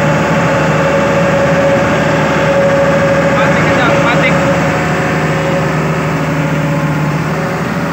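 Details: Hitachi Zaxis 200 excavator diesel after throttle/accelerator cable fix: steady even drone, constant hum, no knocks or hunting; engine runs and responds normally.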